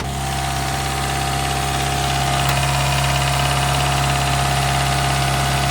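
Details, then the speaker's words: Daihatsu Mira cold start at 12°F after Prolube oil additive: steady, even idle with a constant low drone and no lifter ticking, which was previously present; a squeak is the alternator belt, with a new belt on order. "It doesn't seem like anything, but that ticking is not here. Very interesting. Huh. The squeaking you hear is the alternator belt."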